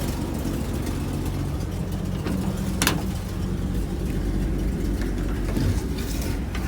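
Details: 1975 Bedford CJ at a rough, low idle with a throbby, uneven puffing chuff underneath. Finding: a nasty exhaust leak.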